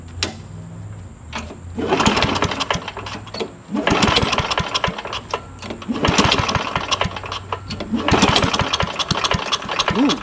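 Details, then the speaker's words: Craftsman/Rally push mower, Tecumseh Eager 1 engine, primed at high throttle, dosed with starting fluid: repeated pulls each catch with sharp pops then die; pop with fumes makes owner wonder about blown head gasket; spark confirmed, suspects dirty carburetor. "you heard that pop that doesn't sound almost like uh it's a blown head gasket or something because i saw a pop around here with some fumes at least we know we have spark there we go"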